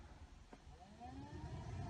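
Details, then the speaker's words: Replacement heater blower motor on a 2005 Chevy Aveo, fan switched through speeds 1, 2 and high: low hum climbs smoothly and settles into a steady, even drone, blower working normally after the swap; resistor previously ruled out. "So if everything goes well, when we turn the fan on, it should work. There's 1, I can hear it go. 2, and high speed."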